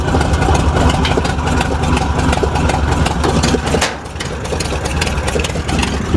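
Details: 1947 Ford fire truck from a Western Nebraska fire department, hard-starting engine at steady even idle with regular firing, no knocks or misses, brief dip in level, hood up; healthy idle.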